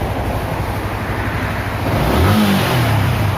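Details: Yamaha R15 motorcycle after a major service with valves readjusted, ECU reset and codes cleared, idling then revving cleanly and freely up before settling back, with no stumble; it previously would not rev.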